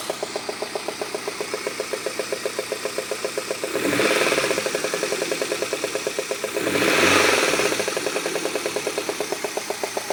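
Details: Peugeot 106 GTI with its head redone three months earlier; sharp, even tick about four per second at idle that persists through two throttle blips, caused by a 4-month-old (5000 km) spark plug that failed.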